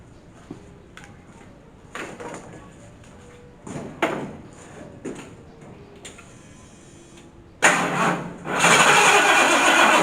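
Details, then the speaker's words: Rat rod dually truck with a 460 swap, voltage tester connected: short stabs of starter noise cut out after a second each before the engine catches. This happens when warm or after repeated cranking; owner suspects the solenoid, since two starters behaved the same. "And hence, that's the problem I've been having once it gets warmed up, or actually if I go to crank it too many times in a row."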